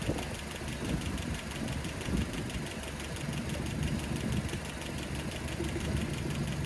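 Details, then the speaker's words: Land Rover Series 3 at idle, heard through a hose listening tube after valve clearances reset: light quick ticking strongest at number three valve, still tapping from excess tappet clearance. "okay so my hose out again make sure i choose the right end because i don't want oil in my ear yikes that three is really tapping still"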